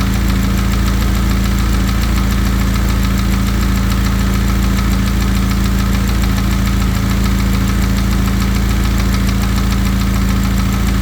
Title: ea888 piston slap